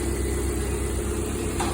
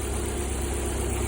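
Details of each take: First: Lada Priora after repair, injector wiring spliced directly and gas-system injector connection removed, warming up: steady, low, even idle with no misses or stumbles; no problem left, normal idle. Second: Lada Priora four-cylinder idling on three cylinders: injector feed wiring touching ground, one cylinder cut out with no or weak injector pulse; low, uneven, lumpy idle before the wires are spliced together directly; rough idle from dead cylinder.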